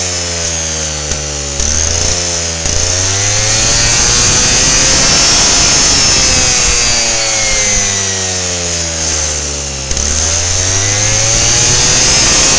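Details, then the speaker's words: Lawnmower engine on 10% ethanol (E10) fuel, 53° outside, spark plug wire unhooked, revs up and sags back in slow waves every few seconds; owner suspects hot spark plug and engine ignite the ethanol so it takes off. "that's what it's doing is it's the ethanol it was 10% ethanol in the gas and when the spark plug gets warm enough the ethanol will ignite from the temperature of the engine and the temperature of the spark plug and when it does that you hear the thing take off"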